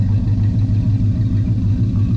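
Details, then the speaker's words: 1984 Chevy truck with a 454 V8, first run after sitting two years, air breather off: a deep, even low rumble with a steady beat and no knocks or misses; the engine is running smoothly. "right see what you do sounds good well that sounds good ain't no doubt about it"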